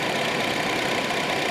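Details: Honda City electric radiator fan after repair of weak fans that let engine temperature rise; idling, single speed for AC cooling before coolant reaches temperature: steady even air rush, no scraping or rattling; fan running normally.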